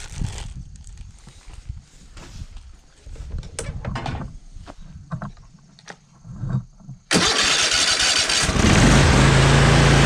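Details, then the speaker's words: Cub Cadet zero-turn mower twin-cylinder engine after replacing both ignition coils, one of which had tested weak and intermittent: cranks, catches and settles into a steady, even run with no misfire; sounds a lot better, healthy. "that sounds a lot better"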